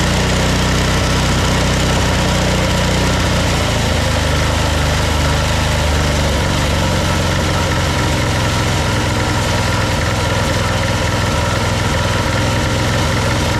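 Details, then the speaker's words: Old military Yanmar diesel portable air compressor after fuel system overhaul and exhaust nuts replaced: loud steady diesel chug with even beat settling after a few seconds; engine runs cleanly and compressor makes air. "she's going boy she's going yes sir yes sir woo [Music] it's definitely making some [Music] air"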